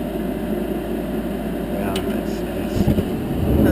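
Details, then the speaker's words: 10-year-old Heil gas furnace after the noisy inducer exhaust fan was replaced with a new one. A steady smooth fan hum with no rattle or scraping, then a deeper rumble as the burner lights; the new inducer is quiet and operating normally. "yeah much much much much better it's quiet it's quiet"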